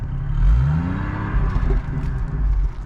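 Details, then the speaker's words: GMC Envoy SLT after repair: engine picks up smoothly from low rumble to clean even rev under light throttle, no knock or rattle; sounds much better than before the fix. "I know it sounds good back there like look I'm not even St stepping on it yeah compared to the way before"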